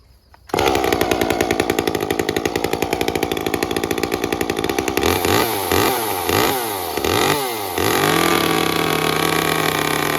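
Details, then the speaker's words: Echo CS-355 chainsaw after its clogged screens were cleaned. It fires and holds a blubbery high idle, and rev blips bog without cleaning out. Still far too rich, so the limiter cap must be removed to lean the carb. "into I'm actually going to have to remove the limiter cap it's still Pig Rich let's try that again"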